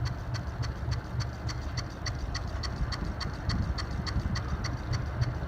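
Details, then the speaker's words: Hunter C-18 ceiling fan with light kit removed, running on a newly added single-speed switch, much quieter; steady low rumble with a light regular tick three to four times a second, likely one blade slightly out of track. "So, using the switch, here it's much quieter. There still is a slight tracking issue with one of the blades, it sounds like."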